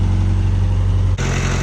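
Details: Hatchback engine after cam seal and timing work, cold start: steady hum, idle slightly high with AFR elevated, a brief dip then step up in idle; normal cold-start idle, no leaks seen.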